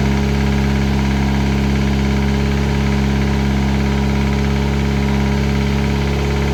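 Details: Classic Mini turbo, first start, ECU on laptop with lambda sensor: steady knock around three a second over the idle, seemingly from the top end at the rocker cover; sounded almost like a big end; engine knock, cause not confirmed.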